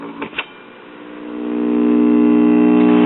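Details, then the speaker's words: Bel-Aire/Airline three-speed record player, about 1953-54, after fixing and heat-shrinking broken LP/78 switch wires: droning buzz with steady flutter about four times a second from the turntable drive mechanism, running rough and noisy. "so maybe they won't break as easy but drive mechanism sounds lovely doesn't it"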